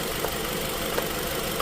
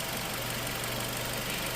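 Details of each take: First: Nissan X-Trail, QR20 engine, P0302 code, coils lifted one by one at idle: lifting cylinder 2 coil gives no rpm change, idle holds steady; cylinder 2 dead, no ignition. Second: Nissan X-Trail QR20, P0302 cylinder two ignition fault, scan tool power balance test at idle: hum sags and changes tone as cylinder four is cut, rpm dropping to about 575; normal drop of a healthy cylinder, cylinder two weak.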